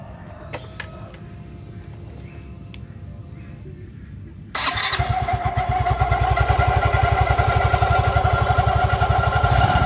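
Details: Yamaha Fino scooter, in its third year of daily use, starting and idling with an intermittent rough, rattly whir over its steady beat; CVT noise traced to an unevenly worn front drive pulley face.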